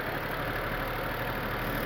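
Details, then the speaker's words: VW Polo after timing chain replacement, at start-up: smooth, even idle with a steady low hum and no ticking or rattle from the timing end. Normal idle, though it smokes once warmed up. "my wife's going to start the car up and uh as you can hear she runs quite"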